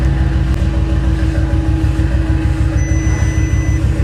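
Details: Audi S3 with a cylinder 3 misfire and failed turbo, engine needing replacement: lumpy, uneven idle stumbling roughly three times a second; a cylinder misfiring.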